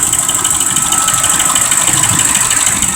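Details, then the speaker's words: 2005 Ford Expedition 5.4 Triton: quick, steady clacking from the valve cover about three a second over an uneven idle; suspected bad cam phaser or lifter, and the engine may not be firing on all cylinders. "alright wagon noise coming out of the valve cover here and we all know what that is from watching these previous videos that are going to be a bad cam feasor or a lifter inside of they're"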